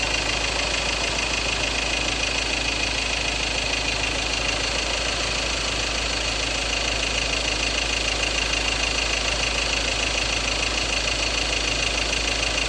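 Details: 2016 Ford Ranger 2.2 XLT Duratorq diesel, 4x2 manual, idling with a fast, steady rattle of about three clicks a second. Fuel knock from a possible injector problem is suspected; unresolved by the dealer.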